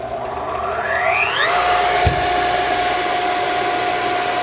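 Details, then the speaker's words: Unused Darex V390 drill sharpener whose motor won't start under its own weight: a low hum, then the whine climbs steadily to a steady pitch once the machine is lifted. Possibly a defective bearing or motor, not confirmed. "might be a defective bearing or could be a defect with the motor we're not quite sure it's sold as parts of repair"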